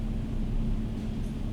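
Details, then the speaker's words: 2005 BMW 325i with intermittent cylinder 2 misfire (P0300), put into gear under load: low, slightly uneven rumble as the misfire becomes clearer; ignition coil suspected, to be checked with a scope. "Okay, into gear, it becomes much clearer, and it seems to be continuing."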